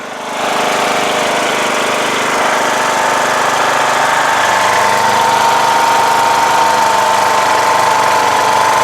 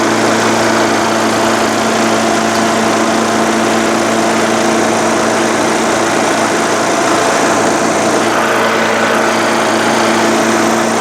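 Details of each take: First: Rebuilt 17.5 HP Briggs OHV single in a Craftsman LTS1500 lawn tractor, just after a test drive. It holds a fast, steady thump that never settles because it is idling very high; the throttle feels sticky and needs adjustment. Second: Craftsman LTS1500 lawn tractor with rebuilt 17.5 HP Briggs OHV single-cylinder made from two blown engines, full oil, valve lash redone, PTO and mower deck running: holds smooth, steady speed under load, even drone, no knocks or vibration; healthy.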